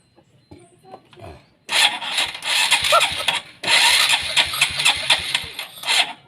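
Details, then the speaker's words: Honda Supra X 125 carbureted motorcycle, hard to start and sputters on throttle: two long cranking bursts with uneven, sputtering firing that never settles to idle; ignition and fuel line checked normal, carburetor main jet found detached. "Ini cukup sulit, teman-teman. Starter mesinnya sudah tidak berfungsi lagi."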